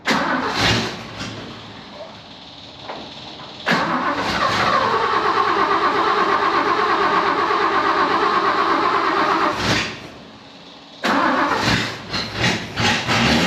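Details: 1963 Ford Falcon ute firing up for its first run after a weekend of work to get it running. It cranks, catches quickly and settles into a steady, even idle with no misses or knocks.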